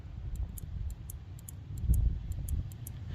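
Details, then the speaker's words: Car alarm sensor switch, cleaned with carb spray, gives crisp light clicks, about a dozen in three seconds, over a low rumble when pressed, but the alarm still does not trigger after reconnection; cause not found. "So I just cleaned all the sensor up, cleaned as much as I could off of it. You can still hear it does click, so if you listen closely."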